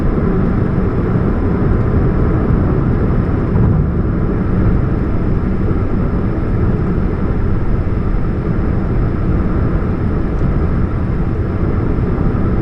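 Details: 2013 Chevrolet Spark running with a leak at the catalytic converter: a steady low drone under the engine with no knocks or rhythm, the hum of an exhaust leak.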